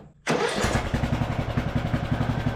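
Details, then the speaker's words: Craftsman LT1000 riding mower engine after carburettor repair, checking for an oil leak: fires at once, settles into an even putter of about six beats a second with no knocks; normal running. "But overall, this engine seems like it is running really well."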